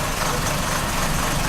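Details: 2004 Chrysler PT Cruiser idling after plugs, sensor and vacuum leak repairs: rough uneven idle with irregular stumble under engine drone; still misfiring, suspected timing belt several teeth out.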